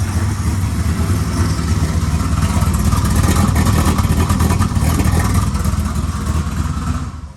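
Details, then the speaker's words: Abused turbo EF Ford Falcon with the front mount destroyed and no exhaust fitted: loud, raw, rapid popping roar at a fast idle with no muffling; the engine still runs. "like I said the engine does still run um I'll just quickly start it up for you guys because it has no exhaust on it"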